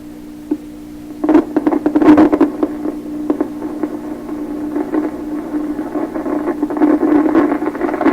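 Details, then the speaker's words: 1928 RCA Victor Model 28V radio, antenna connected, warming up: steady strong low hum throughout, broken by irregular sharp crackles and pops; hum source unresolved, crackling suspected from a stage that started operating, cause unconfirmed. "there's the hump but pull power onto that so yeah that's a pretty strong huh to me"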